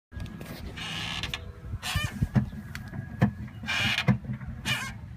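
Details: 2003 Volvo S40 at standstill: short groaning squeaks as brake pedal pushed down and lifted off, same with e-brake; rear caliper found seized and replaced with a used spare; rear brake groan.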